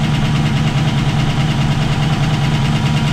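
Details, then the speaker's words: V8 with link-bar lifters, pushrods 1/16 inch longer than stock, lifters readjusted, cold start on a chilly day: low steady idle with light quick valvetrain tick, quieter than before but still there as oil not yet up. "doesn't seem as loud of a but it's still there obviously but the oil hasn't really got up in there"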